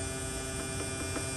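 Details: Replacement AC compressor on a mid-2018 Tesla Model 3 during R134A recharge through the low side: a quiet, steady electric hum at constant tone, no knocking or rattling; compressor running normally.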